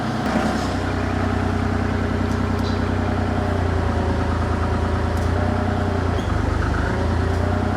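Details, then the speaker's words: Diesel machine with grapple rotator flow-control valve nearly closed: deep steady drone with heavy, strained beat as the almost dead-headed hydraulic pump lugs the engine. "Now, obviously, you can hear we're putting a little bit of strain and lug on the engine as well because the hydraulic pump is trying to push flow and it can't. So, it's almost dead heading the hydraulic fluids."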